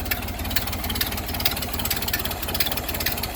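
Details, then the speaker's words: Ford Model A with newly installed engine, 9,000 miles, warm idle: sharp, fairly regular tick over the low engine beat; owner suspects an exhaust leak but also wonders about a rod bearing, unconfirmed. "but i think i got an exhaust leak"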